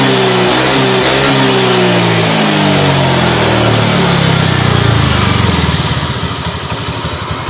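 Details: Honda Vario 125 LED scooter, first start after topping up with used oil after it had run out: rough growling undertone swelling with revs, engine smoking; mechanic suspects a worn piston (seher), attributed here to a worn crankshaft bearing.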